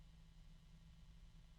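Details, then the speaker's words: Phobya G-Silent 14 140 mm 1400 RPM three-pin PC fan starting quietly: steady low hum with a droning harmonic resonance under the airflow, lower than usual; noise suspected from the bearings or motor, probably bearings. "pretty low it's a lot lower than the harmonic resonances I usually hear and there's a noise that suggests me that it's coming from the bearings or the motor probably the bearings"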